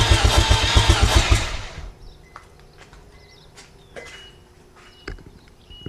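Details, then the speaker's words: Mazda FC RX-7 with turbo 13B-REW rotary, during build after charging a weak battery: starter spins the engine at an even, quick rhythm, about four beats a second, then stops without firing (not yet wired to ECU, no plug wires); cranking is healthy. "so there's gonna be a pretty short video but I don't give a crap because my modem moved it's turning over and we like that"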